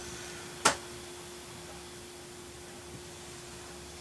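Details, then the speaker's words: Laptop with hard drive booting preinstalled OS: a few sharp isolated ticks about a second or more apart over faint steady hum; normal hard drive seek clicks while loading, no other weird noises. "hear the hard drive clicking but i'm not hearing any other weird noises i should be worried about it seems to be the the normal hard drive click as it's loading everything up"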